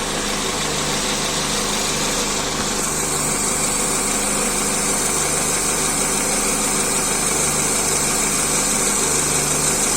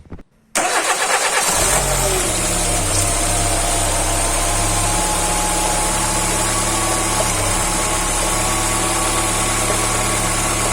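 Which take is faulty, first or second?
first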